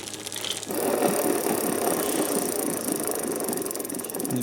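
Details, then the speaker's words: Old F1 bicycle wheelset, about 10 years used, spinning: dry gritty rattling hiss instead of smooth quiet freewheel, also noisy when pedaling; hub bearings suspected lacking grease, not confirmed. "然后车主反映在骑行的时候，它的轮组转动的时候，踩踏的过程中也有异响。"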